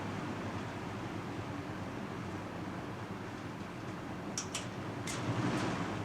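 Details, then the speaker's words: Box fan on high, heard from the back of the motor: steady rushing airflow with an uneven low throb, very shaky from imbalanced blades; fan blade imbalance. "anyway i'll give you guys a demonstration of the motors from the back this one here is very shaky you can definitely tell the blades are"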